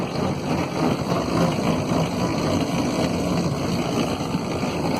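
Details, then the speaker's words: Quest velomobile with Nazca power-side chain idler replacing Ginkgo idler, KMC gold 9-speed chain, small chainring: loud dense whirring rumble while pedalling, idler has no O-rings to dampen it. "Well, I don't know if you can hear me, because this idler is certainly one of the loudest things I've ever used on a bike."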